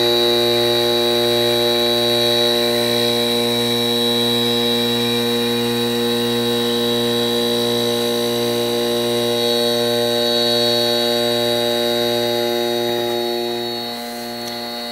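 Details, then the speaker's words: Vintage 1970s Whirlpool 6000 BTU air conditioner, Seeger compressor, running alone at about 390 W before fan on: steady hum and even whirring drone with refrigerant hiss, no knocks; owner leans toward reciprocating compressor; running normally. "and to me it just sounds more like a reciprocating than a [Music] rotary I can hear the refrigerant hissing"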